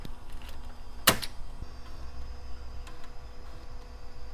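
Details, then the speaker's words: HP Vectra floppy drive after a disk drive error cleared by exercising the mechanism to work in the grease: a few quiet ticks and one short buzzy seek over a soft hum; the disk reads normally. "And it does indeed. Yep, there's all our files."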